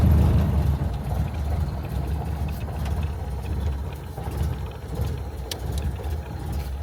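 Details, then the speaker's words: Barn-stored classic Corvan, carbureted with choke and a driver-adjustable main jet mixture: starts nicely, slow lazy idle with soft low thumps about three or four a second, running evenly; idle speed a little low and needs raising. "It started up really nice, and it runs. It's a low RPM, is a little low. We'll have to increase a little bit on it, but we're gonna just turn it off anyway."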